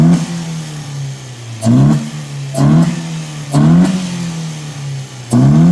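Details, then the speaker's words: Datsun roadster with newly installed budget throttle bodies, fuel table tuned by feel without wideband, warm-up enrichment being adjusted: four sharp throttle blips rise crisply and return to steady idle; runs clean though acceleration enrichment still needs work. "So we got a little bit of Excel enrichment that needs to be worked on, but listen to that."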